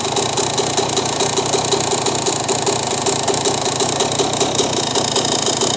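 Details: 2001 Yamaha YZ125 two-stroke, warmed up: quick, even idle crackle that cleans up and rises in RPM as the air-fuel screw is turned out; rich idle, owner suspects the pilot jet must drop one size if beyond 2.5 turns out.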